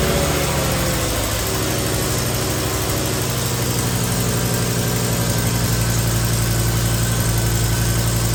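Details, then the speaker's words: BMW M6 V10, first start after new rod bearings, rod bolts and VANOS pump: a smooth, even idle with no knocking, plus a whirring screech from the filtered secondary air pump. Secondary air valves are missing, causing an exhaust leak. "now we're gonna have two noises here and one noise is going to be the secondary area you hear it screeching it has a stupid filter on it"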